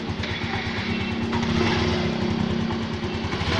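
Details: Yamaha Smartkey scooter single-cylinder started after reconnecting wires: quick, fairly even putter with no misfire or stalling; normal running after start.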